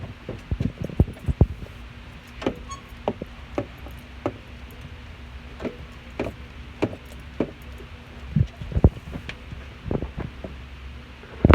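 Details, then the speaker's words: Brand-new 2019 Toyota Tacoma, squeak began after a week, front passenger side, also when pushed down; short irregular squeaks and creaks over driving rumble matching bumps; owner suspects strut or shock bushings, dealer twice unable to locate. "I don't know if it's like coming from the bushings with the shock that strut from where exactly but that's just like some squeaky noise"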